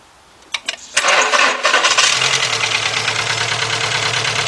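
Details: VW 2.0 engine (Beetle/Golf/Jetta family) running rough after a fuel pump change, jump-started, plug wires 1 and 2 swapped: cranks, catches and idles with an uneven, lumpy beat; misfire stays on cylinder 1.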